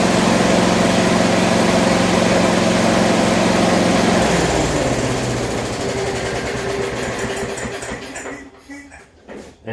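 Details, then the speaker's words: Rover mower single-cylinder engine after fixing earthing wire contact: runs steadily, cuts out when switched off and winds down smoothly within seconds; stop issue fixed. "she stops because I've fixed up the actual contact with the earthing wire."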